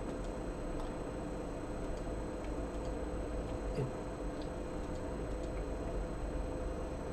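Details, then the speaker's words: Modded Atari MegaST with HD floppy mod, drive accessed with a high-density disk: sparse light head-stepping ticks over faint hum, disk never detected; low-density format works; the floppy drive itself was faulty. "it doesn't detect the disk at all."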